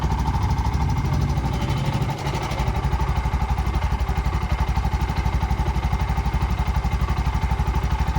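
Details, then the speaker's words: Bajaj BS6 single-cylinder auto-rickshaw after rebuild with new shaft, bore, head, oil seal and gasket: catches and settles into steady even beat around four pulses a second, no knocking or rattle; normal idle. "ಯಾವುದೇ ರೀತಿ ಏನೂ noise ಇಲ್ಲ. ಏನು noise ಬರುತ್ತೆ ಎಲ್ಲ ಹೊಸದಾಕಿದ್ರೆ ಯಾವುದೇ ರೀತಿ ಏನೂ ನಾಯ್ಸ್ ಬರೋಲ್ಲ."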